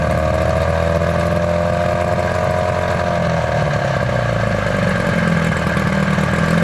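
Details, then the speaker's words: 1983 Evinrude two-stroke outboard after power unit work, with the lower unit not yet rebuilt, warming up at fast idle with a steady, even burble and no misses or knocks; running smoothly. "again. Listen to that baby purr."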